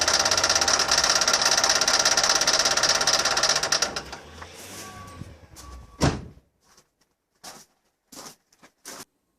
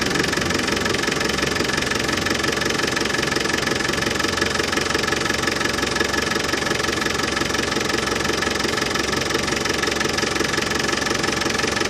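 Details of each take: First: Land Rover Defender 200Tdi diesel running with worn power steering pump: harsh, fast, even clatter of about 200 beats a minute over the engine, sounding like a paint rattle can; pump replaced. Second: Land Rover Defender 200Tdi diesel idling after new power steering pump fitted, during fluid top-up and bleeding: even steady clatter, no rattle or whine; new pump cured the rattle.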